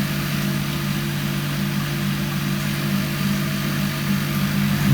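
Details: Indesit ISDP 429 Autopump spin dryer, made by Hajdu in Hungary: a steady, even low hum holding constant pitch with no knocks or rubbing; the spin dryer is running normally.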